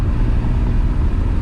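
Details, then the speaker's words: BMW E34 535i, M30B35 straight-six, first drive: floored at low rpm the deep drone surges and stutters unevenly instead of pulling cleanly, also stuttery in third gear; stumbling under load. "okay so flooring it low rpms it stutters and it stumbles pretty good actually let's put it in third and go higher"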